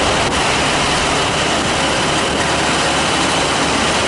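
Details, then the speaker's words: Oil boiler burner after out-of-oil service (line bled), with good draft over the fire: even steady roar with no pulsing, rumble or flutter. Normal burner operation, though it looks a little crusty. "that's it she was rocking and rolling Mama he's rocking and rolling [Applause] y a little crusty looking but she's working"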